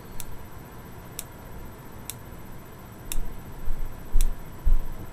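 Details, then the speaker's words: Boyer analog ignition box bench test with a 12V Bosch coil from an SR600 single: crisp evenly spaced single snaps about once a second; occasional double likely from arcing to small ground wires; clean single spark, box operating properly. "no matter how hard I try I'm only getting one spark double spark there but it's behaving a lot more predictably than the Lucas coil"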